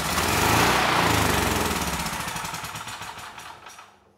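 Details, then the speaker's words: Honeywell HW5500 generator, 337cc, with a new carburetor but a rusty tank and bad old fuel; the small single-cylinder engine chugs with an even, regular beat, no knocks or rattles, while making power. Engine sounds good, so only a fuel issue. "very nice the engine it sounds good and the generator is making power so we're only dealing with a fuel issue here"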